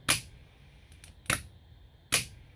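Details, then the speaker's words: 1980s Chrysler turbo Dodge (Kikimora) old starter removed and bench-tested on the battery negative post: three sharp clicks with silence between and no motor whir, Bendix drive pops out but motor won't turn over; starter is shot. "this one, the Bendix is popping out, but it's not turning over. So this one's shot."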